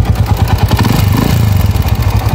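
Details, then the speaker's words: Noisy Honda TMX155 single idling before overhaul: loud, fast clatter; worn valve guides, a mismatched head and a loose crank bearing are blamed, with timing gear, cam follower, pushrods and tappets also to be checked. "pero yung maingay dito yan Number one diyan timing ge malagitik tapos k follower push Rod check din natin yung tapet"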